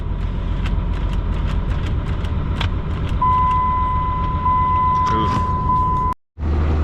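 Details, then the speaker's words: 12-valve diesel truck, cold start after being towed: steady high transmission whine at one pitch over the diesel clatter at idle. "Oh yeah, I love that trans noise."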